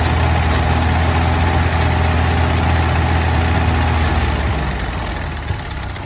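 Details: Model A engine at idle: low, lumpy idle with an uneven beat about three times a second breaking the rhythm, so one cylinder is misfiring.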